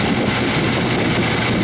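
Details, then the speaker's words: 2004 Mazda MPV 3.0 after fixing a cylinder 4 misfire by reseating injector connection: steady, even idle with no stumble or missing beats; sounds smooth and healthy, codes to be cleared and test-driven. "any case she's running smooth she's not stumbling so I'll clear the codes on it drive around little bit and see what happens"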